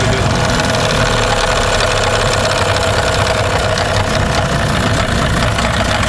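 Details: Tohatsu M 15 outboard: rough idle with irregular tapping knock at low rpm that disappears when throttle is added; piston pin suspected but not confirmed, camera inspection showed no cylinder scoring.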